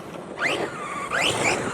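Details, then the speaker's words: PD Racing TK10 EXB V3 1/10 4WD brushless RC truck with all-metal gears, metal transmission and front and rear diffs. A high whine rises and falls with each throttle burst: normal metal-gear transmission whine. "That's quite a noisy transmission. As you can hear, they're full metal gear and full metal transmission actually."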